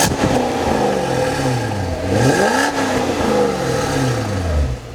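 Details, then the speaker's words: Cadillac XLR Northstar V8 after head bolt repair and reinstall, stock mufflers modified with chambers cut and stuffing removed; clean throaty revs rising and falling back to settled idle, no clatter or misfire; normal running and revving. "I did modify the stock Mufflers I cut some of the chambers out and pulled some of the stuffing and stuff out of it and it sounds really good it's not overbearing it's not loud but it has a nice throaty sound to it"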